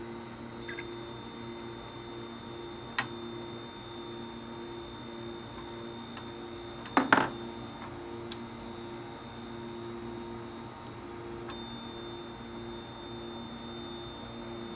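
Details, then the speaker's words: 1981 Atari Tempest arcade PCB under repair: two data buffer lines shorted together, producing steady high-pitched tones with a few sharp clicks from the speaker instead of normal sound. "I shorted two lines together on the on the data buffer and it just started making a weird noise in the speaker"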